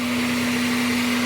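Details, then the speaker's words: Automatic Honda Accord after repairing a no-crank no-start fault (fuses and relays checked, battery strong): smooth, constant idle, one steady hum, no knocks, rattles or stumbling; normal idle. "So ngayon, mandar na mga sir."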